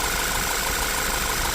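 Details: 2014 Audi Q3 2.0-liter after new alternator pulley: steady even idle, no knocks or misses, faint high whine on top; alternator LIN signal from ECU 0.8 to 13.7 V, good control, charging healthy.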